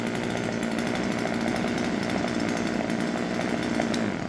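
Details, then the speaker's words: Husqvarna 136 chainsaw after the hardened, broken fuel hose, fuel filter and air filter were replaced and the carburettor adjusted: steady high-pitched full-throttle scream, even and clean with no hunting or sputter, then drops off; running healthy. "Bytte slangen och sågen funkar jättefint."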